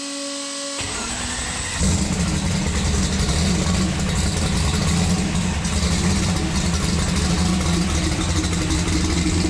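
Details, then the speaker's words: Turbocharged COPO Camaro build restarted after fitting intake, turbo and exhaust; short crank, then catches into a strong, steady, lopey idle with no knocks or misses; normal start and idle. "all right we gotta give this little girl one more fire up because she just sounds too good i can't get over it"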